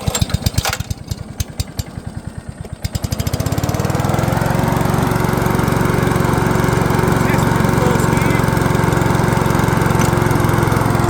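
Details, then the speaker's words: Honda HRU216 self-propelled mower after clutch cable replacement, started at low idle: pops into life and settles into a steady, even chug about three firings a second, no misses. "And the gearbox is engaging in all 3 gears, so that's right for us to put to use now, and we'll just look at probably adjusting that clutch again as it starts to stretch in about 2 or 3 days."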